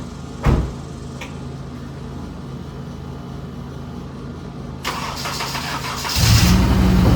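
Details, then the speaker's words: Honda 9th gen Civic Si after swapping blown K24Z7 for junkyard K24Z3, knock sensors changed, first startup after fuel priming; short crank, slight stumble then steady even idle and light rev; slight smoke, believed oily downpipe; normal idle. "All right, it's running. It's smoking a little bit. It's cuz the downpipe got all oily, I'm pretty sure. So, started right up. Hesitated a little bit in the beginning, but other than that, everything sounds good."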